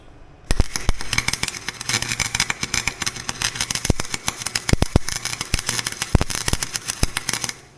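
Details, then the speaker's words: Harbor Freight welder, ground clamp melting; harsh irregular crackling and popping like a machine gun instead of a steady sizzle, sputtering arc; owner suspects bad ground or dirty metal, not confirmed. "thing's definitely not right I don't think it's supposed to sound like a machine gun"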